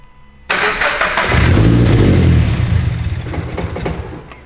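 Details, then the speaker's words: Turbocharged FRS (GT86) first start before new fuel system installed; engine catches and flares, revs sag and waver as it struggles to stay running under rev attempts; rough running, cause not confirmed. "try to rev it up and keep it running she's not happy oh dude it actually sounds sick rev it up a little bit"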